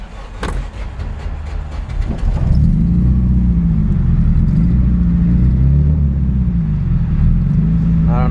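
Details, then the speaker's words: Turbo car after 100+ miles and about 15 gallons of fuel since its first start, engine starting and idling with an uneven, lumpy wavering sputter and hesitation to take off; owner no longer suspects bad gas, reports power loss and a downpipe exhaust leak, air-fuel and oil pressure good. "I still have this sputter like if like if there's a sputter for it to take off let's turn it on you can even hear it as soon as I turn it on"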